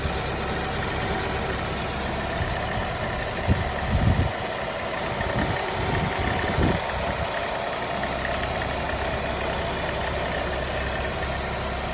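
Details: Nissan Altima 2.5 SV, 75K miles, recently bought from a dealership, idling with a faint steady whine over the rumble and a few irregular rattling bursts; cause unknown.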